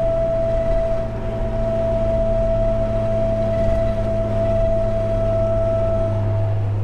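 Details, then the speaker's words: Jeep TJ roof/windshield-mounted light bar at highway speed: constant high-pitched mosquito-like buzz and whistle over road rumble, wind noise across the light bar, before the fix. "it usually has that that really annoying like mosquito buzzing noise constantly when you're on the highway at speed"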